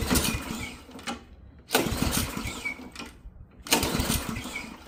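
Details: Ariens Professional 21 snowblower, Ariens AX 208 engine, 3.6 hours, sat years with bad gas, dry plug: on starting spray it pops and catches in short bursts about every two seconds, then dies; spark present, fuel starvation, carb to come off.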